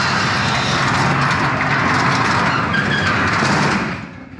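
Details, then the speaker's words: Garage door disconnected from its opener and moved by hand rumbles along its track, with squeaks from dry rollers and hinges; the fix is lubrication, not WD-40. "yeah it's going to take the garage door and you can hear it's pretty squeaky but I'm trying to do this"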